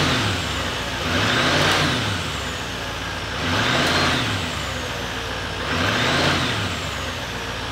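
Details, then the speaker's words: 2018 GMC Sierra 3500 HD salvage rebuild, after replacing the pipe and seating its gasket. Three smooth revs rise and fall evenly with no whistle or air hiss as the throttle opens; the noise is gone. "looks like everything is fine it doesn't make that noise no more and again this pipe running smoothly I didn't have to fight with it I think now it's perfectly fine"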